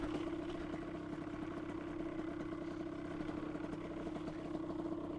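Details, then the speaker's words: 2003 Aprilia RX 50 two-stroke, stock ignition, oversized pipe, during lean jetting tuning: fast, even buzz at steady pitch, no dipping or stumbling, not stalling; normal idle. "It's not stalling. So, idle is good."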